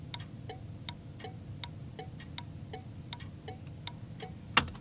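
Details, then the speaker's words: First HM 552 thermal turn signal flasher in place of the factory Tung-Sol 224 on an '81 Chevy, key on, engine off, left then right turn; crisp even clicks about 2.5 per second: normal turn signal flasher clicking. "let's populate this 552 the first one see what it sounds like there it is left hand turn right hand"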